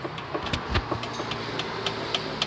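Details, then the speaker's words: Honda CR-V suspension pried with a flat screwdriver: sharp metallic knocks, three to four a second, from an under-tightened fastener that causes a clear knocking while driving; suspension knock from a loose part. "จะมีเสียงดังทักๆเวลาวิ่งชัดเจนแล้วแล้วก็ดูสังเกตดูนะตอนนี้นะครับกับก็เห็นเนี้ยว่าว่าขันไม่แน่นนะ"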